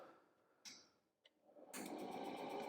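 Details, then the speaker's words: Milwaukee M18 battery-powered forced-air propane torpedo heater starting up: a couple of faint clicks, then rapid even igniter ticking over the fan's rush before the burner lights; normal ignition. "immediately you hear the igniter going can you hear that that clicking noise"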